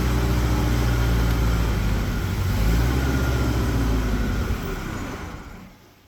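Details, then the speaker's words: Mustang skid loader, choked and hot-wired: steady idle rumble that fades and dies; stalled because the fuel pump wasn't running. "Ah, well, works better if your fuel pump's running. So, that was just in the nick of time. That's one way to shut her down."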